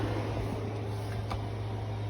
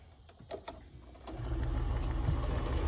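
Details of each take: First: 5,000 BTU window AC powered by an Anker PowerHouse 767 after firmware update, drawing about 384 W; steady low hum and even fan whoosh, no rattles or surges, earlier funny noise gone; normal running. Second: Early Anker Powerhouse 767 before its firmware update, running a 5,000 BTU window AC; clicks, then an uneven, surging drone as watts jump from 100 to 1,800 (the unit normally draws under 500). Unstable inverter power.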